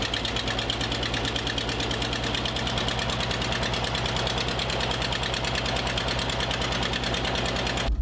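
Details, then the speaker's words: Porsche 914 2.0 idling in the driveway after a new muffler and exhaust: loud, choppy idle with an uneven chuff about three per second, better than before but still rough; owner plans a tune-up. Rough idle. "Still sounds like a potato launcher. I can tell you just by in the driveway it idles better."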